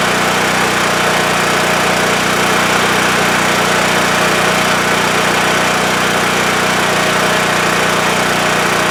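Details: WEN TF1450X 14500W tri-fuel generator after repair, previously shutting off after 20 seconds from spark loss: smooth, even drone at constant speed, no hunting, surging or dropouts; running properly, display shows 232 volts.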